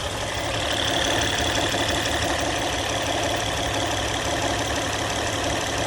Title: No more noise after replacing hydraulic tensioner